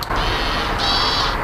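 Right after switch-on, a brief electric whir sweeps for about half a second, then stops: the power valve servo cycling normally.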